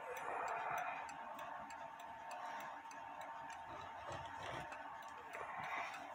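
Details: Novelty pendulette (Lux-type) clock on test stand, set upright with pendulum clear of the wood: light, fairly quick ticking, around three and a half beats a second, steady with no catches; pendulum swings freely.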